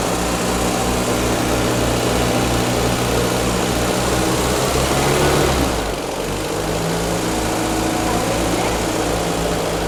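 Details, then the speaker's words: 1975 Land Rover Series 3 with newly rebuilt engine, first start after sitting 15 years: engine catches and settles into a steady, even beat with regular firing, no knocks or misses; normal idle. "Once it started, we just spent a little bit of time setting up the timing to where it was happy."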